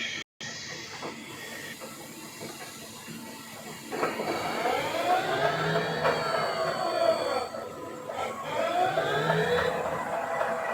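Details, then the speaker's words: CNC machine spindle test-run during setup: a loud tonal whine rises and sweeps as the spindle spins up, very noisy, blamed on a faulty spindle drive. "Spinner yang muter guys tapi dengarkan suaranya garis sangat berisik guys ini memasang nada Rabi spingle drive guys"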